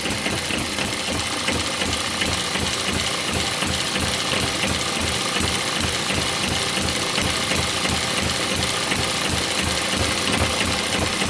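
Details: One of several model steam, Stirling or hit-and-miss engines driving a homemade Baker fan as a working load. Quick, even chuffing about three beats a second, pulling steadily without faltering; normal running under load.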